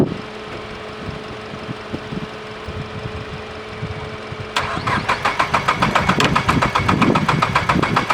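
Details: Mazdaspeed 3 after code P0193 no-start fix, fuel rail sensor and connectors replaced, battery reconnected, ignition primed five seconds: cranks evenly about four and a half seconds, then catches and settles into a steady, even idle.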